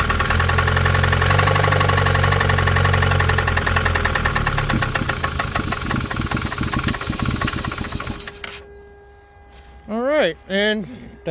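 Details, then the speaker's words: 1993 Mazda Miata 1.6L engine on a cold start: rough, irregular knocking roughly three beats a second that fades as the engine dies on its own after a short run; cause of the knock unknown. "this is a cold start um I started it earlier today and it ran for maybe 30 seconds to a minute and it didn't sound very good and it also just died on its own"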